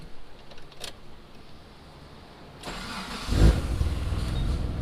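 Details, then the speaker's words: Mitsubishi 3000GT VR4 twin-turbo 6G72 on a standalone AEM ECU, first start on a new engine: quick catch and a steady low rumble, running great; oil likely diluted with fuel, and the front main seal is leaking. "so it's been running we got it running it's running great actually it sounds good"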